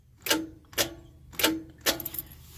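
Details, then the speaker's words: RV starter before removal: four sharp single clicks with no cranking. Owner suspects the starter is stuck, possibly with carbon, and plans to smack it before taking it apart. Starter clicking, no crank. "you can hear that it's trying to turn the starter but it can't because it's probably stuck so I feel like there's probably just a bunch of carbons stuck in there and stuff"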